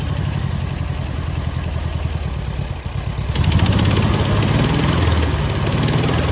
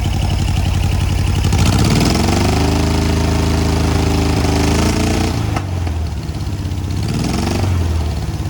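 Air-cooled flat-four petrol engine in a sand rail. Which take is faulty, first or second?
second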